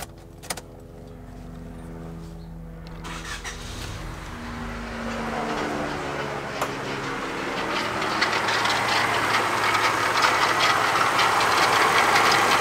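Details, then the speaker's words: Honda del Sol D-series engine idling; a harsh, gritty, rotational whirring grows over the idle and comes and goes; it was first traced to the alternator bearing, but was later found to be a bad water pump. "so as you can hear that sounds like trash and after doing some diagnosing and whatnot listening around crawling under the car I traced it down to the alternator"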